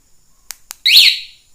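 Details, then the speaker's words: Honda Beat 2020 scooter with 9Nine A1 anti-theft alarm armed by remote: one short shrill rising-and-falling chirp after the bike is jostled; single alarm warning chirp. "Jadi kalau motor mengalami gangguan dia akan bunyi"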